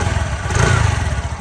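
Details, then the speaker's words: 2025 TVS Jupiter 110 scooter after service-centre repair of engine tappet noise: even, soft putter at idle with steady low pulses and no ticking from the top end; the earlier noise is gone, engine sounds healthy. "तो यहां पे आप sound सुन low sound चला गया है। दो घंटा लगा उनको बनाने में और आवाज चला गया।"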